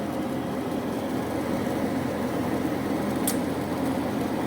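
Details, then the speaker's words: Carrier Infinity 58MVC080 furnace, flood-damaged and repaired with a replaced inducer motor and gas valve: quiet inducer hum, pressure switch and igniter glow, then a sharp gas-valve click and the four burners light; normal gas furnace ignition. "There you go. And it has ignited. Maybe I'll turn the flash off. And there you can see the burners that fired."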